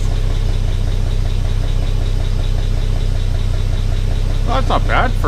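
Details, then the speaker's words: 1962 Plymouth Valiant 170 slant six, 63,000 original miles, abandoned 20+ years, freed from seized, running on old gas: quiet, even idle with soft steady low pulse, no knocking or misses, water pump pumping; normal idle. "looks like the water pump is pumping it's actually running all right I can't believe that old gas is actually burning"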